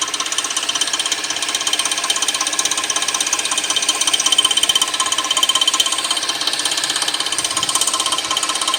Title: Weird noise from 2006 Suzuki 2.7 V6 Engine 3